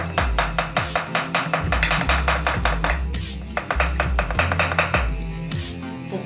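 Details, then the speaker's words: Audi 80 (VAG) control arm ball joint, totally worn (scrap), rocked by hand front/back/left/right: sharp uneven clacks about two or three a second. "na wszystkie strony przód tył lewo prawo i teraz ten sworzeń który jest lekko uszkodzony i który kwalifikuje się do wymiany przód tył lewo prawo"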